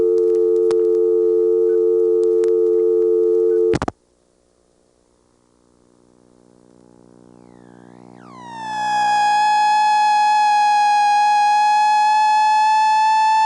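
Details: ITT Pentaconta crossbar office, Asheboro NC, March 1977, phone left off the hook: steady dial tone cuts out, then after silence a loud shrill howler tone swells and holds, the off-hook warning to hang up.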